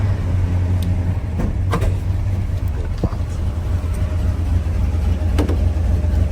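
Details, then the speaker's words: 1981 Chevrolet C10 with rebuilt 350 V8 and 700R4 automatic, idling inside a tin building: deep, steady V8 rumble with no misses or knocks, some shop noise; runs good, normal idle. "Probably in this tin building I can't pick up a station, but so runs good, everything works"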